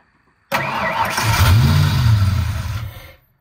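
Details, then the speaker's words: Foxbody Mustang, 302 V8 with B303 cam, T5, sat since about 2021: starter cranks steadily about two and a half seconds without firing; fuel pump heard running but no fuel pressure builds, owner suspects it's out of gas. "I can hear the fuel pump kicking on, but when I look here at the fuel gauge, nothing's happening. There's no pressure buildup. So I think it's just out of gas."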